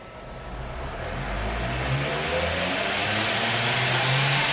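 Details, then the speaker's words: 2x72 belt grinder on a VFD running from 220V in an apartment, on a flimsy wooden table: smooth whir climbing evenly as the motor spins up, then steady with minimal vibration, no rattle or knock; running normally. "it's running pretty good and I'm happy so boom we did it"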